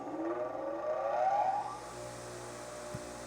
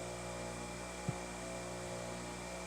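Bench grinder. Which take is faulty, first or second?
second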